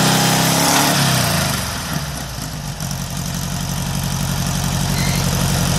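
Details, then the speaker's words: VW air-cooled engine with Weber progressive carburetor, sat a while, fired right up after earlier trouble firing a couple cylinders at idle; revs drop after a blip and settle into a steady, even idle, running properly. "actually sounds pretty good after all in whoo rich it's even idling right yeah for Weber progressive that's well for an engine who have sat to for a while and it just fired right up"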